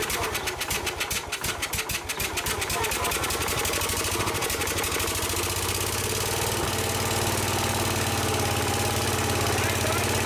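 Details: Case 222 lawn and garden tractor that sat for years, after starting fluid was added: rapid starter cranking for a few seconds, then it catches and settles into a steady, even single-cylinder run. The engine starts and runs.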